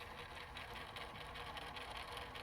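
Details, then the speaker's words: Intermatic pool timer, clock motor behind the dial that keeps time: faint, soft, steady whir with light gear chatter, even and unchanging; motor turning fine, gears visibly moving; silence would mean a failed motor. "okay so what can happen is is that there's a motor on the back side of this dial okay there's a motor on the back side of the dial the whole purpose is to keep track of time"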